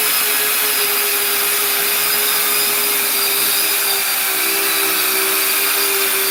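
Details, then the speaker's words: Custom 70mm EDF quadcopter with brand-new motors. Loud, high rushing fan with a steady whine that splits into a second, beating tone; one motor, suspected the left rear, sounds bad, possibly from a wrong 4S part. Cause unclear. "Did you hear that? These motors are brand new. I think one of them bad."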